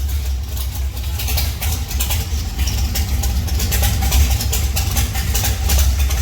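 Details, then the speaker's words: 1971 Plymouth Duster race car, 528 big-block Mopar on alcohol with Powerglide, run after sitting 3 years with rockers loaded (valve springs likely weak): deep, loping big-cam idle, holds steady without stumbling; runs good, needs new springs. "that sounds good runs good put some Springs in it"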